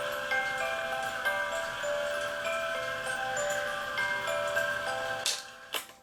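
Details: E. Schmeckenbecher Nuremberg church clock after repair with 3D-printed parts: clear plucked music box notes with soft ticking underneath play smoothly as the figure rotates; the mechanism is healthy.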